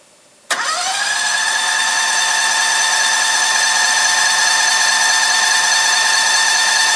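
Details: Cushman with Predator 670cc twin after new coils, NGK plugs and a Briggs 24hp clone carb, started cold with a little choke after a week unused: catches first crank, steady even idle, no misses or knocks; runs cleanly, idle jet needs slight work.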